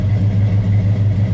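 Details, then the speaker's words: Chevelle 402 big block, not rebuilt, heads rebuilt, on dyno before tune: deep, steady idle with an even, choppy cam lope pulsing several times a second; runs healthy and smooth. "You can hear my cam. You can hear it better now, huh?"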